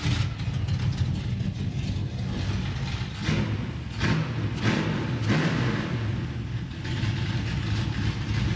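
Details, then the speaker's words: Nascarlo with a stumble that improves as it warms up but persists; engine runs rough with uneven surges and dips when revved, stumbling under load; cause not confirmed. "does it under load the warmer it gets the better it is but it still does it huh"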